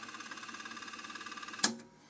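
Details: Cassette deck found at a German scrapyard, tested after rewind: soft even ticking tape transport, then a sharp clack as pause engages and it quiets; play and pause working, only a lamp out.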